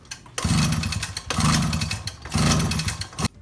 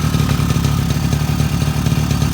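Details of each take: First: 2002 Suzuki LT-A50 50cc quad after a top-end rebuild with a Wiseco piston: repeated one-second pull-start bursts with hollow whooshing cranking and no firing. Air felt escaping from a port, pointing to a crankcase seal leak causing the no-start. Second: Freshly top-end rebuilt 2002 Suzuki LT-A50 50cc two-stroke quad with new Wiseco piston and adjusted carburetor, first start on first pull: steady, even, rapid two-stroke burble at idle, no knocks, misses or rattles; normal healthy idle.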